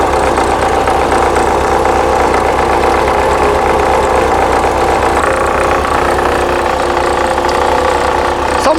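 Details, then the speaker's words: 1979 VW Super Beetle, fuel-injected, air-cooled, idling: uneven low throb and shake; generator vibrates and runs very hot, belt overtight with no deflection, generator pulley spun on its keyway. "the Gen saids not happy I can feel the vibration yeah I can feel the vibration in the Gen set not to mention it's super freaking warm we have a problem with the Jin sure freaking do"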